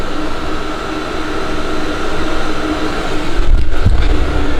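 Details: Webasto diesel air heater in a leaky, roughly 30 m² metal garage, exhaust out a chimney: steady low blower roar with a constant hum, no surging or knocking; runs evenly but heats slowly (about 10° in 1.5 hours) and the blower is loud.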